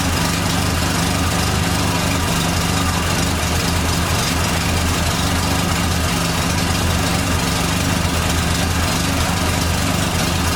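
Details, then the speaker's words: 1989 Dodge Daytona ES salvage-yard car: steady low idle rumble with a thin whine on top pointing to power steering; cause suspected, not confirmed. "so i'm gonna fire this thing up hopefully it runs right no issues here we go whining noises the power steering car"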